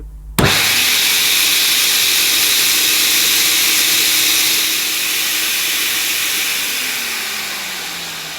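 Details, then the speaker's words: 1980s Hoover Sensotronic System 1 S3126 vacuum, 900 W motor, gauge reading about 56–58 inches of water, some loss from a broken part: steady high airy roar, tone sags near end; healthy suction. "well that was around 56 to 58 inches of water and again that would have been slightly high I think that lived on to well over 60 but there is suction loss because this parts broken"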